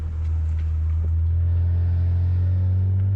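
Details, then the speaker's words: BMW 335 on ramps, metal-on-metal exhaust vibration that occurs at a certain rpm under load: steady deep drone with a buzzy low rumble underneath. Not found; the owner suspects the X-pipe and plans resonators. "It's just as loud. It's got to be in the exhaust itself. It's got to be the X pipe."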